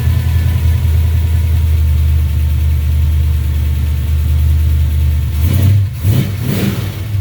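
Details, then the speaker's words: 1970 Plymouth Duster after swapping in a new starter relay; started a bit funny, owner attributes to locked-out timing running hot on advance; strong deep steady idle then quick throttle blips; engine starts and runs fine. "Okay, so that was it. The reason that it started funny was because I have my timing locked out, so it's a little bit hot on the advance."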